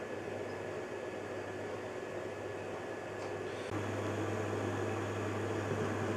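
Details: 12 V fan of a Carver Fanmaster hot-air heater in a 1996 Swift caravan, previously stuck on slow speed and tripping: an even, steady whir with a low hum that steps up in speed partway through, running smoothly after the fan and control PCB repair.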